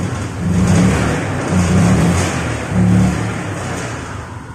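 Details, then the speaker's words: EFI (PGM-FI) motorcycle with a gauge on the fuel line: three short throttle blips swell only slightly and fall back flat; pressure stays below the 43 PSI standard, low fuel pressure, weak fuel pump suspected. "Nah, jadi meskipun ini motor nyala, tetap nggak naik. Harusnya ini di sini nih, jarumnya harusnya di sini, standarnya di sini nih. Nah, berarti bisa dipastikan ini memang pas saya gas juga barusan sedikit ngempos ya."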